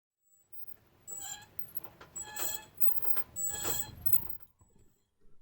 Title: How to Stop Brake Noise (Squeak, Squeal, Grinding Noisy Brakes)